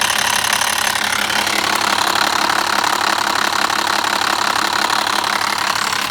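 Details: BMW E60 with the M57 diesel at idle: a busy metallic rattle and clatter over the running beat indicates a noisy, worn timing chain.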